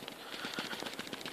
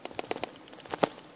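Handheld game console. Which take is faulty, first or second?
second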